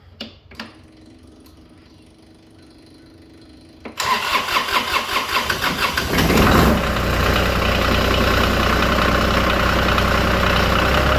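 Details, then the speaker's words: 2015 Kioti CS2410 tractor with Subaru diesel, cold start on a cool morning around 57 degrees after a hard-starting problem blamed on a bad relay and glow (cell) light: about four seconds of even cranking, catches quickly, settles into steady smooth idle. "Cranking up. Sounds good to me."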